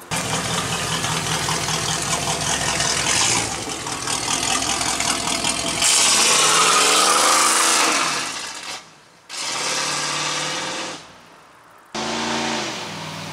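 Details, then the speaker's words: 3rd-gen Pontiac Firebird on its first drive, carburetor not yet tuned: loud open-exhaust revs climb hard, fall off and surge without settling into a gear; the moved throttle bracket misadjusted the TV cable so the transmission would not shift properly. "all right so uh that first drive failed and it was a pretty easy errors to fix such as the throttle bracket moved causing the tv cable not to allow the transmission shift properly"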